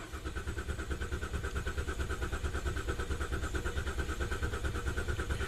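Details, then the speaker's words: GM 3.6L V6 that runs poorly warm and sets timing, lean and rich codes, with stretched timing chains suspected. Cranking compression test, pedal floored, ignition apparently disabled: steady cranking with every other pulse lower, showing uneven compression. Cause not yet found. "There's definitely some inconsistency. It looks like every other hump is a bit lower than every other one"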